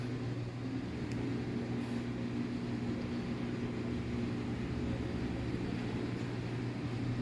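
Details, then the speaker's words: Samsung 15 kg washer-dryer after a bearing kit replacement: steady low hum of the drum spinning evenly with no grinding or rumble. Before the repair it made very loud bearing noise when spinning. "fala pessoal beleza que o serviço está finalizado a máquina já está funcionando já tá torcendo centrifugando"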